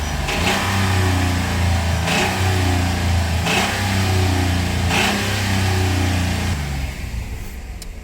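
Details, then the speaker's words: 2010 Dodge Ram 1500 driven home with the oil light on and no oil: light knock from low in the block at idle that hammers harder with throttle blips about every 1.5 seconds; rod knock, not piston slap. "Unfortunately. Yeah. Unfortunately, that's that's a rod lock. That's not piston slap."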